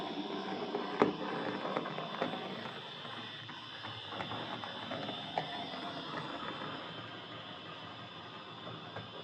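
Loud, rattling mechanical whirr with scattered clicks and ticks throughout the run; the drive is far noisier than it should be, cause not pinned down.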